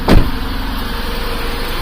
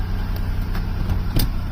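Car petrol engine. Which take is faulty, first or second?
first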